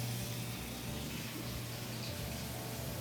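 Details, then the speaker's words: Miele dishwasher after replacing a noisy, slow-filling fill valve with a generic one, reset and test fill: soft even water rush over a low steady hum, no machine-gun chatter; normal fill. "and then I'll start it up and just make sure that it's filling correctly without all that crazy machine gun noise so that's the correct noise that we should hear"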